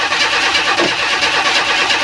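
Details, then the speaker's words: 1994 Chevy Astro van after engine replacement, cranking with spark tester: even cranking, never catches; plenty of spark present, so problem is no fuel pressure. "okay so my problem is no fuel pressure for some reason interesting"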